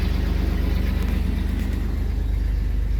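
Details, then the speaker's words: 1999 Chevy S10 4.3L V6, 236,000 miles, after new distributor cap and rotor cured cold crank/no-start, started after sitting a couple of weeks: fires right up, low even rumble, no misses; normal idle. "and see how it goes and she fired right up hear it"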